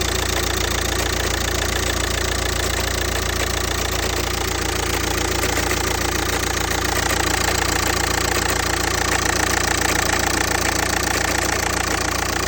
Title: Was für ein Problem kann das sein? Woher kommt das Klopfgeräusch? Audi A3 8P 2.0 TDI (BMM)